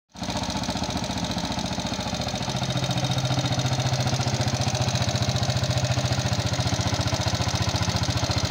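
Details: Yamaha Jupiter MX King fuel-injected motorcycle, thin exhaust smoke, before engine teardown: starts and idles with fast even ticking rattle about three per second; combustion-chamber wear (piston, rings, valve seals, guides) suspected, unconfirmed.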